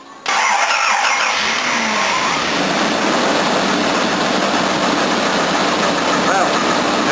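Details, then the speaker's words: 1983 Jaguar XJ6 4.2L after its cracked drive plate, which made a horrible clattering, was replaced and the gearbox refitted. It starts straight into a steady, even idle with no clatter: normal start and idle. "sounds better than it did. Don't you see anything under here? It doesn't have that horrible clattering noise anymore."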